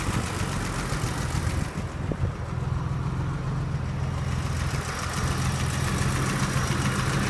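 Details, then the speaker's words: 1983 BMW 635CSI straight-six (manual transmission), warm after driving, idling about 800-900 rpm with temperature gauge in the middle; steady, even low idle with smooth beat, no knocks, misses or hunting. Healthy. "yeah you can see we're idling now it's sort of 8 to 900 RPM temperature gauge is exactly where it should be in the middle"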